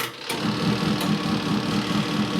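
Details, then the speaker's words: Good Ideas compact twin tub washer (model XPB35-918S) in normal wash mode: steady motor hum with soft, even pulsing about four times a second and no grinding. The bottom impeller turns one way, pauses, then reverses; it runs normally. "it'll rotate once in one direction or a specified time pause and then as you can see it turns in the other direction that's in normal watching mode"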